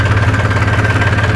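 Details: New Holland TT45 tractor diesel, restarted after running out of fuel and refuelling: smooth idle with an even, low chugging beat, no misses or knocks.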